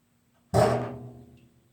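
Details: New Whirlpool water heater, just after heating water following a shower: a single sudden loud bang ringing like struck metal and fading within a second; cause unknown.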